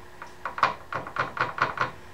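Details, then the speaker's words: GX200 clone engine with a homemade piston stop in the spark plug hole to find TDC: series of dull knocks, about five a second, as the piston hits the stop; piston contacting piston stop. "the piston is coming up and it's hitting the bottom of this stopper"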